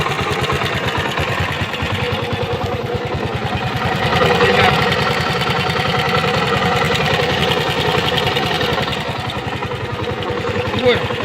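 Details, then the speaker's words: 1999 Honda BIZ C100 engine, 25 years' use with little maintenance, worn out; uneven idle with busy clatter and ticking, about three knocks a second; owner says noises from crankshaft bearings, connecting rod and timing, before teardown. "you can see we have noises from the crankshaft bearings of the connecting rod distribution in short all the noises"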